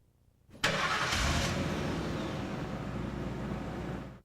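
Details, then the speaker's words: Engine catches, runs rough at idle for about three seconds, then cuts out abruptly: engine stall, defined as stopping under load, usually at idle with a transmission gear engaged, readily restarting. "Engine stalls is defined as engine stops running under load. This usually occurs at idle when a transmission gear is engaged. However, the engine will readily restart."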